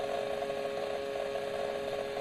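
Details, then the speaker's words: Acer Predator 17 laptop under intensive CPU/GPU load, recorded at rear vents: thin, steady high-pitched whine with fluttering, inconsistent grinding buzz; coil whine and electrical discharge, not mechanical, caused by faulty motherboard, fixed by motherboard replacement. "it doesn't just sound like there's a fan something gonna it sounds like a grinding it's a it's a an inconsistent grinding it's very disconcerting"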